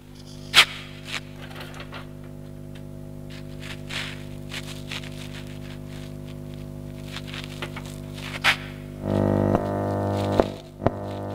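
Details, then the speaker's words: Modified amplifier with a steady low mains hum that grows louder and rougher as volume is raised and remains faintly even with volume turned down; not very loud but annoying. "nah seperti itulah hasil suara Hai menghasilkan sebuah amplifier yang sudah dimodifikasi untuk di bagian hasil suaranya disaat kita mengangkat volume menimbulkan suara dengungan bahkan dimatikan volume juga ada menimbulkan suara dengungan walaupun dengungan itu tidak terlalu besar"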